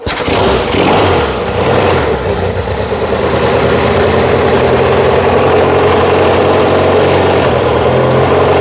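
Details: Yamaha XS1B twin during carb and ignition tuning, after choke and a bit of throttle: starts and settles into a fast, steady buzzing beat that never drops to a slow idle; idle too high, to be turned down before checking timing.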